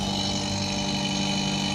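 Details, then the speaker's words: Whirlpool 170-litre fridge compressor running: steady loud hum with a rough buzzing edge and constant whirr; compressor is noisy and will be replaced with a new Godrej compressor, then vacuumed and gas-charged. "ये आप आवाज़ सुन रहे हैं, ये कंप्रेसर आवाज़ कर रहा है। तो इसको करेंगे हम चेंज, नया कंप्रेसर डाल देंगे"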